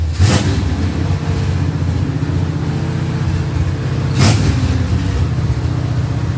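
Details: 1966 Chevrolet Impala, 350 Chevy V8 with Turbo 350 transmission, first start after 22 years sitting: deep, steady V8 burble with an even low rumble and brief outside noises; running normally after long storage.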